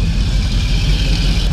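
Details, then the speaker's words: 1978 Ford Bronco V8 at idle, before power steering pump replacement. Deep, steady, even unbroken rumble with no knocks or misses. Normal idle. "she's running good, so we'll catch you here in a little bit."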